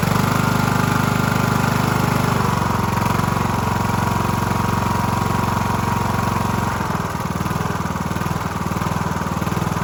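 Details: Cub Cadet LT1045 mower (276 hours) repowered after a cracked, locked-up engine; replacement started on choke via jump pack, burning off paint: steady, even idle with a smooth low beat, no knocks or misses. Sounds healthy.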